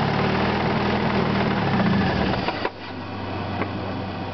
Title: knocking sound part 2